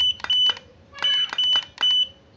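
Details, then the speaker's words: Godox AD300 Pro flash, water-damaged with its board destroyed by an earlier botched repair, now fitted with a custom module: sharp pops, each followed by a steady high recycle beep, repeating evenly; after repair it fires and recycles normally. "Sudah mau nembak nih teman-teman, udah berhasil nembak ya, udah sehat lagi."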